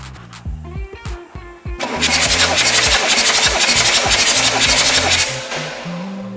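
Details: BMW 7 Series E38 3.0 diesel that stalled abruptly after flooding with water entering the engine, cranked to check if it turns: starter spins quickly and evenly, about four turns a second, no binding, so the engine still turns freely.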